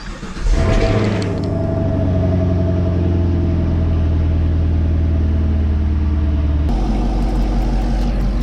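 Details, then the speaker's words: 2021 Camaro SS cold start after four days sitting, just fitted Rotofab cold air intake, MSD intake manifold, Katech 103mm throttle body, check engine light on, untuned: high cold idle, strong low rumble and loud airy intake sucking; owner unsure if normal. "I can like, you can like hear it sucking in air. I don't know if that's how it's supposed to be."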